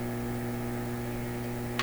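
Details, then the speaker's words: Clairtone console stereo receiver during alignment, tuned near 1 MHz with antenna wires disconnected: steady low buzzing hum, stray signal generator signal still leaking into the set, possibly bypassing the antenna input. "and there's still enough signal floating around in here to get into this radio uh hopefully it's going in the right place like in through the antenna and not soaking into the circuits here in the wrong place"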